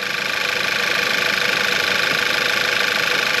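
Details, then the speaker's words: VW Eos first start after engine and transmission reinstalled following about three months apart, fuel system primed: even, fast ticking idle about four beats a second, bright top end, no knocks or rattles, no leaks; normal idle. "nothing all right nothing leaking out the bottom no abnormal noises"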